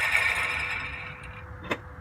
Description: Loud sound when Turing off mazda6 help what’s wrong